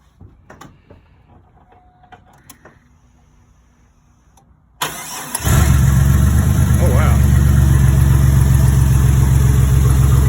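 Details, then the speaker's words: Turbo 4.3L V6 in a 2001 GMC Sonoma with a custom turbo kit and replaced factory intake manifold, fired cold before warm-up, settles into a deep, steady, even idle with a V8-like rumble; running healthy. "sounds pretty good sounds like a V8 sounds good"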